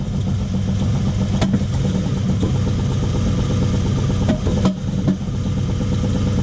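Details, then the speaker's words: Toyota 1UZ V8 hot rod, first start after new wiring loom: uneven, lumpy idle with irregular pops and clatter, misfiring and running rough; fuel delivery and return being checked, cause not confirmed. "so the bottom is back down it runs but not very well but we will continue another day"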